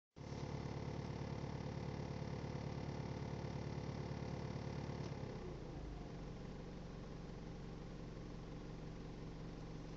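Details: New 2.5 TD diesel engine (R51M) with a strange steady, fairly quick knock of three or four per second over its low rumble.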